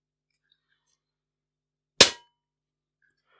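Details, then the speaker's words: AGT Uragan 2 compact sub-12 ft-lb air rifle shooting about 11.3–11.4 ft-lb, held up to the microphone: one sharp crack then a short high metallic ring from the plenum; owner guesses the valve spring is pinging. "hopefully you can hear that but you do get a rather loud ping from the plenum itself I'm guessing it's the valve spring pinging"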